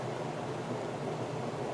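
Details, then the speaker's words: Friax wine cellar cooling system fan at full speed with outlet nearly closed, about 350–375 pascals: loud steady rushing whoosh, airflow restricted. "if we close it almost completely that's 28 350 375 pascals and you can hear how noisy that is"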